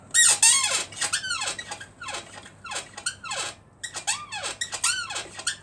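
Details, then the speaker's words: Suzuki GT85 motorcycle rear shock, bounced in a garage: sharp chirping squeak rising and falling with each bounce, a few per second; owner first suspected the bottom mount, now thinks the upper seat area; suspension squeak. "Sounds like it's coming from the upper seat area now. Yeah, it certainly sounds open now. I was sure I was on the bottom."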